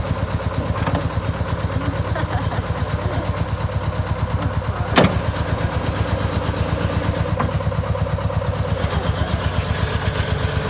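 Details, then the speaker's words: 1987 Bobcat 741 skid steer, diesel engine, old machine with some performance complaints: steady diesel clatter, roughly three firing pulses a second, even, with one brief clank; diesel motor itself runs well. "It's a 1987 Bobcat 741, which is a diesel. I think the diesel motor, it actually works really well."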